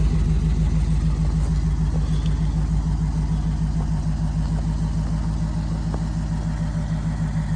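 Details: 1938/1939 Ford 2-door hot rod project, flathead V8, first start after years in inside storage, battery charged, converted to 12-volt: steady even idle, soft regular beat around two hundred pulses a minute, no knocks or misses; normal idle.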